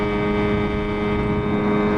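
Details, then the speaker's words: Outboard on 14/32 Alumicraft jon boat, first run, wide open throttle around 19–21 mph: steady even high-revving drone, no surging or misfire; 5,200 rpm, low end of its 5,000–6,000 range, owner feels it could rev more. "Sounds good. Sounds to me like it's not as fast RPM as it could be."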